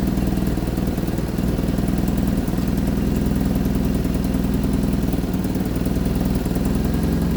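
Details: 1975 Vauxhall Viva HC four-cylinder, last on the road in 1991, first start after a rebuild with the carburettors worked on. Idles evenly with a steady low hum, no misses or knocks, while warming up. Healthy.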